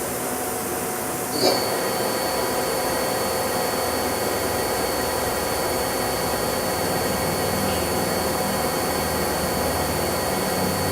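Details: 1999 Daewoo DMV-500 vertical machining center spindle stepping up from 1000 toward 8000 rpm: smooth, even run with a clean high tone, no vibration, rumbling or knocking; spindle sounds healthy.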